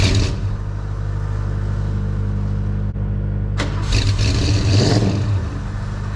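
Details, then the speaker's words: 1969 Mach 1 Mustang, apparently now a 302 V8, sat almost 10 years, fresh NGK plugs, carb swapped: steady starter cranking with no firing. Not fuel; ignition is hot only while the starter turns, suspected broken wire at the ignition switch under the dash. "Alright, y'all, so we figured out it's not a fuel problem. What we've got is the only time it's getting ignition signal for ignition hot is when the starter is turning. So we have got a wire probably under the dash on the ignition switch that's broke."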